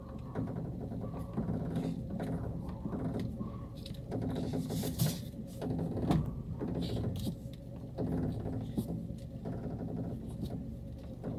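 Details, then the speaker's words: 2010 Honda New Civic front suspension: turning the steering wheel makes the front spring shudder with a rough, juddering low groan and scattered creaks, loudest near the front strut tower; binding strut mount bearing. "então a mola quando você vira o volante ele dá aquela calar tremida na mola incomoda bastante"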